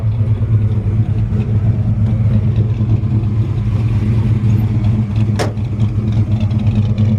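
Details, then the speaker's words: 1965 Chevrolet C10 V8 with Holley carb recently adjusted and aggressive exhaust, running cold: deep loping idle with an uneven, lumpy beat, not yet settled as it would once warmed up; rough cold idle. "then she just cold [Music] just about once I don't drop on down like it's warmed up and just not quite there"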